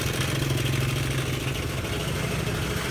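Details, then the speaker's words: Honda Air Blade scooter idling after start-up: fast, loose metallic clatter over the engine note, loud on one side of the engine, louder when revved; slack cam chain from a failed cam chain tensioner. "Và bây giờ anh em bị sao đây này hợp phần bên này kêu khá là to đúng không ạ Đây là da đen pi anh em nhé tốc độ cầm chừng"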